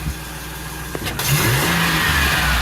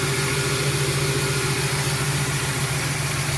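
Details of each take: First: 2008 Express after an engine swap, first start without the upper radiator hose: engine picks up cleanly and revs smoothly with an even, steady firing note, no stumble or miss. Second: 2008 Express van after engine swap, first start without upper radiator hose, number one plug wire damaged: smooth, quiet V8 idle with faint regular snapping tick as that spark plug wire arcs; no misfires.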